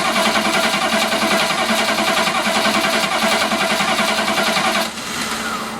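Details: Chevy P30 food truck 6.2 diesel cranking: starter turns it over at a steady three or four beats a second but it never fires; suspected low fuel pressure with no fuel getting through the fuel filter; crank, no start.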